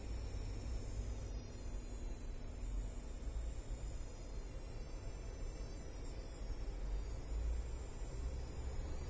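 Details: ASUS ROG Strix RTX 3070 White graphics card: thin, high-pitched whistling tones drift up and down with load over a steady fan hiss. Choke coil whine.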